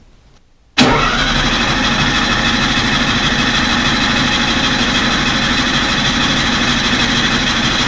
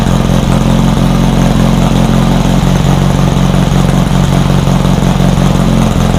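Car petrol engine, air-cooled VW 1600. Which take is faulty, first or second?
first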